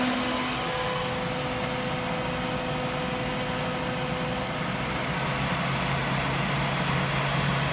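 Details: Radiator cooling fan powered temporarily from a car battery through a solid-state relay, with PWM control from an MS3Pro/Megasquirt ECU. At high duty cycle there is a steady, even whoosh with a constant hum rising slightly, showing smooth full-speed operation.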